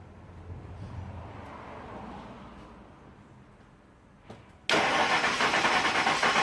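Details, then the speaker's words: 2000 Ford F150 4.6 V8 with P0301 misfire code, compression test on the second cylinder from the front: about two seconds of steady even cranking at roughly three pulses a second; similar compression, number one read over 150 psi. "alright let's crank this bad boy this is the second cylinder from the front so we'll see it what it is"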